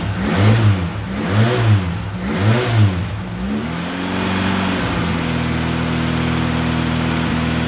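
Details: Ford Capri Pinto, 41 years old, with Ashley 4-branch manifold and exhaust, after its blowing exhaust manifold gaskets were replaced before a passed MOT: several throttle blips, then a smooth, even idle with no ticking or chuffing, exhaust sealed.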